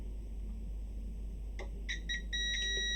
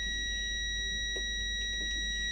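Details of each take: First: ProFX8 v2 mixer jack socket continuity test: beep cuts in and out in ragged short bursts when pin is moved, internal socket contact breaking, not the solder joint, so resoldering won't fix it. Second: ProFX8 v2 mixer with a faulty socket, continuity test on a socket pin: a constant high beep without break while the pin is moved, so that connection is good. Another pin broke up, showing an internal socket fault.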